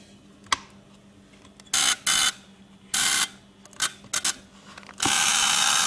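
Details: 1925 Ford Model T trembler coil box on tester after bending the adjustment to cut current from 1.8 to about 1.4 amps (1.3 optimum): sharp, bright buzzing bursts then steady run with faint hum; coil buzzing evenly, correctly set.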